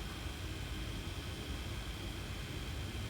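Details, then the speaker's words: Fisher FVH 4901 VCR after repair of slow, clicky head drum and slow, jerky capstan (1mm belts fitted in place of 2mm load and capstan belts): soft even hiss, low rumble and faint steady drum whine; spinning like it should, normal operation. "okay all right moment of truth yep and it is spinning like it should"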